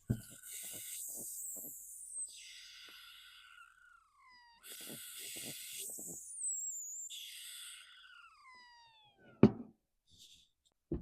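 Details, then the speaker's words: Stihl 026 Pro 49cc chainsaw found in a dumpster, during a pressure/vacuum test: breathy whistling hiss falling in pitch as pressure bleeds off, not from the exhaust. A major leak is at the intake boot, and other leaks are possible. "I can hear it loud and clear. It's not coming from the exhaust. It's back here somewhere. Sounds like the intake boot."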